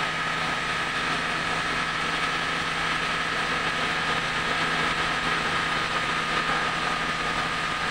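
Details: Mitsubishi Grandis after replacing cracked parts causing automatic transmission oil leak, first start: steady idle with faint constant whine, no knocking or rattling; engine and transmission sound normal.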